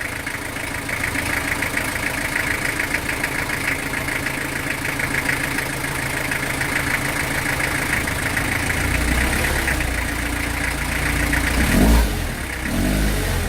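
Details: Old truck sitting a long time, just started on WD40 and lighter fluid, out of gear on a very hot day: low slightly uneven chugging idle holding steady without stumble while oil circulates and it warms up; uneven idle after long storage.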